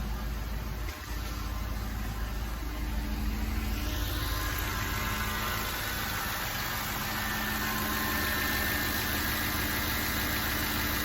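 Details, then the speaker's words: 2006 Cadillac DTS Northstar engine idling smoothly and evenly on all cylinders after new spark plugs and coils for code P0305; the earlier rough cranking and shaking pedal are gone. Normal idle. "That sounds pretty fucking normal to me."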